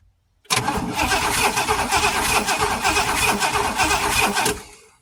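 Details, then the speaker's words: Oldsmobile Toronado long sitting in the woods, messy wiring, plug pulled for a test: starter spins steadily about four beats a second for four seconds, never catches; no spark at the plugs, cause not yet found. "Okay, guys, we are not getting spark. Oh boy, why are we not getting spark?"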